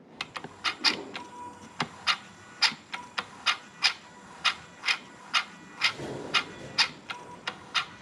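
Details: Toyota 3UZ-FE V8 electronic throttle, ignition on and engine not running: crisp, evenly spaced clicking and brief whirs from the throttle motor cycling, nothing rough or binding; the actuator works properly.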